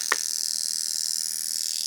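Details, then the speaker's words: Fuel injector from a 1980 BMW 528i (E12) on a bench tester set to continuous mode, simulating full throttle: a click, then a steady, even high fizzing hiss of continuous spray; normal injector operation. "That's what it would sound like under like full throttle, getting after it in the car."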